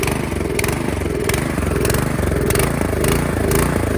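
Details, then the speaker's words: 2017 Troy-Bilt Storm Tracker 2690 XP snow blower, started after a season stored with fuel drained: engine hunts up and down about every half second at low choke and smooths out with more choke; owner suspects a clogged carburetor idle circuit; carburetor replaced. "If you give it more choke, it smoothens out. Let's do that. And at the lower choke, it surges like this."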